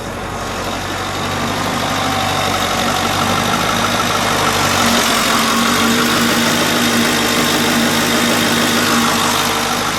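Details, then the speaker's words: 1937 Ford 2-door custom restomod, brand-new 500 HP V8, just started after oil-pressure interlock: steady even idle with smooth low burble, no knocks or misses; normal idle. "One feature that you don't normally see in cars like this, the motor will not start till there's oil pressure. Okay. So now we have oil pressure. That is wonderful."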